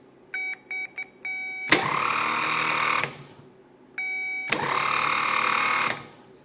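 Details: 1970 Triumph TR6 starter bench-tested with no load on a good 12 V battery: two short runs whir up, then drag and wind down quickly, seizing; owner suspects internal corrosion.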